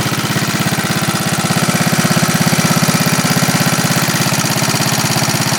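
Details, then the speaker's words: 1939 Onan generator after carburetor cleaning, under a 300 W lamp load, governor responding, holding about 115 V; steady, even pulses a bit over three per second, recovers quickly when load is applied; running smoothly. "Come right back. That's pretty good. It's pretty sensitive."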